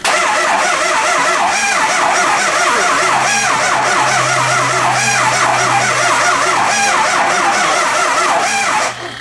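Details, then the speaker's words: Early 2004 Ford Excursion 6.0 Powerstroke diesel no-start, sat a while, oil overfull; retrying start, starter turns engine slowly, about three to four compressions a second, never fires; cranking speed too low. "but it's not cranking over fast enough so there's multiple questions"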